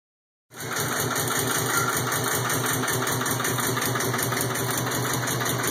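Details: 2002 Subaru WRX idling: uneven, lumpy loping beat around four pulses a second instead of smooth; rough idle, cause not yet known.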